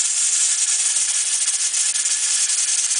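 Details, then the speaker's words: All American 930 pressure canner at 15 psi, heat turned down during 90-minute processing: steady steam hiss with light jiggling rattle, weight rocking normally about three to four times a minute. "keep cutting it down slowly until it rattles between three to four times a minute"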